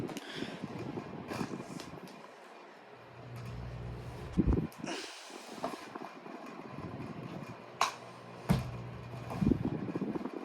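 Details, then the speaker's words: Pelonis table fan (customized black/white) on medium speed: low motor hum with an intermittent light rattle from the loose badge buzzing, rattles when tapped; otherwise very quiet. "at sound is cuz the badge is is loose you can hear it [Applause] rattling can you see that I think it's actually sliding itself across the floor"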